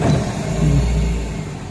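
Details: After repair of an engine misfire blamed on a faulty ECM/ICM with injector not grounding: deep, even note right after start with no stumble or skipped beats, settling smoothly; engine now runs normally with strong starting.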